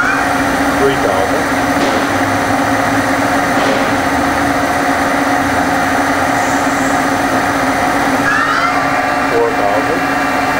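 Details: 1986 Okuma & Howa Millac 4VA CNC vertical machining center, Fanuc 11M, CAT-40 spindle (60–6,000 rpm, 2 steps), stepped from 1,000 rpm with gear change for 2,000 up to 5,000; sensitive camera mic. Quiet steady hum with a brief rising sweep at speed changes; smooth, healthy.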